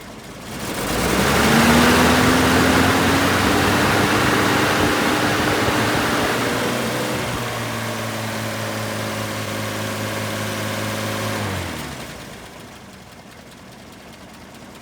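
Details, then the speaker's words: Toyota fan clutch in a before/after test of the 10,000 cSt silicone fluid mod: loud rushing air rises over the idle, holds for about ten seconds, then drops away as the clutch disengages. "I'm going to do a before and after just so you can see timewise how much longer the fan is staying engaged than it was before I did the mod."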